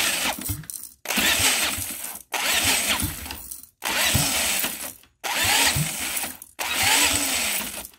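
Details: Home-built see-through engine on EFI, first start attempt, ignition timing offset 180 degrees in settings with uncertain cause: six one-second cranking bursts with pauses, steady turnover but no firing; cranks and won't start.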